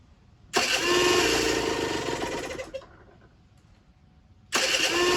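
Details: Generic Trigger SM 50cc two-stroke with a stiff temporary throttle cable: screams up, drops off slowly, flares again by itself, even with the fuel-pump port blocked by a finger. Owner suspects an air leak, later found at the intake manifold; jets were also blocked.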